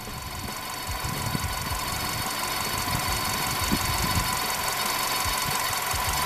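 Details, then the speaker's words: Ford Escape 2.3 Duratec, warm idle after a used cylinder head install: an uneven light knock about three a second over a steady hum; owner suspects a front accessory-drive component, not the internals, but it is unconfirmed. "that noise is that [Music] that front accessory again something in there's not happy for whatever"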